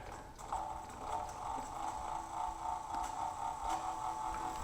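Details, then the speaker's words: Nova Voyager DVR 58000 drill press spindle at about 300 RPM, during a 50 to 5500 RPM speed sweep: low, quiet motor hum with a faint steady whine and light ticking; runs smoothly. "so this is about 300 RPM and it's still pretty quiet"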